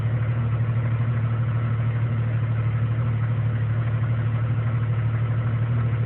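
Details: 1999 Jeep Cherokee Sport 4.0L I6 idling low with a rhythmic wobble about three times a second; rough idle, sometimes dropping to around 300 rpm near stalling.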